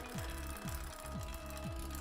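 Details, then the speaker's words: Bicycle rear derailleur being indexed, chain on the 5th sprocket, cranks turned by hand. Turning the barrel adjuster takes it out of gear, giving steady clicking about twice a second as the chain rubs the next sprocket: derailleur out of index. "So in this instance, if I keep turning it that way, it'll start to click and make a noise because I'm taking it out of"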